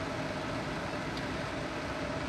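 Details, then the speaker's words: Replacement True Induction cooktop at full power bringing water almost to a rolling boil: steady even mid-pitched hum over a constant fan rush, no buzzing or rattling; normal, tolerable noise. "But I'm showing you right here and now that this brand, True Induction, is uh so far so good. I can tolerate the noises that this thing makes."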